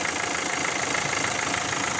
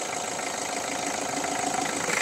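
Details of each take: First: 1.5 dCi diesel: steady, even idle with a smooth hiss and no sharp knock or tick, after a leaking injector that had been puffing air was tightened; engine runs cleanly. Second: 1.5 dCi diesel at steady idle: fast, regular sharp ticking about three per second, sounding like a knock inside the engine but actually compression blowing past the injector seat, which goes quiet when water is poured on; injector seat compression leak.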